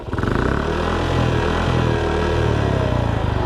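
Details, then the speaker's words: Shineray 49cc motorcycle engine idling loudly with a rough, rattly clatter over its low thrum, strange noise appearing after hub bushings were replaced; noise persists when clutch engaged and riding, clutch not slipping; cause unknown. "só que rapaziada moto tá maior estranha tá fazendo o maior barulho motor rapaz vou tá mostrando você"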